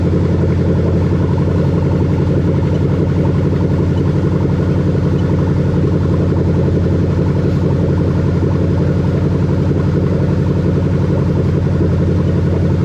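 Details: 1998-2000 Lexus LS400 1UZ-FE VVT-i V8 on test with new rebuilt LHD harness, check engine light out: smooth, even idle holding steady note, no ticks, knocks or stumbles; healthy running engine.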